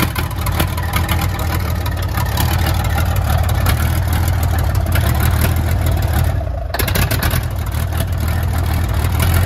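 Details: Johnny Cash cabover truck first started after 27 years on a replacement motor: heavy diesel rumbles at a steady low idle with an even beat and no misses, oil pressure about 80 psi; normal start and idle.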